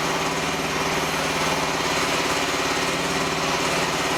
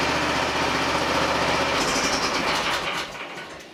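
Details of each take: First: Small diesel feeding a repurposed hydraulic pump used as a motor for a mini-excavator mower, with no load: steady, busy clattering drone with a hard-working note. The motor restricts the oil flow; owner may need to bypass or cut back the flow. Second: Small hydraulic pump rigged as a motor for a DIY mini excavator mower, first run: even mechanical whirring with a fast steady pulse that winds down smoothly; runs normally with no leaks, a broken pulley caused the vibration.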